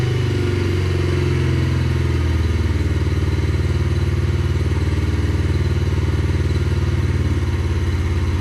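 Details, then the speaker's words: 2021 Yamaha TTR50, idle speed raised and mixture leaned slightly (believed to be running too rich): small single putting steadily at idle, even beat, no misses, surging or knocks; now sounds good. "yeah so that seems to be pretty good it sound sounds pretty good it uh I had to turn the idle speed up a little bit the speed screw up a little bit and I had to adjust the mixture just a little bit I believe it was running too rich I leaned it out just a little bit and now it sounds good"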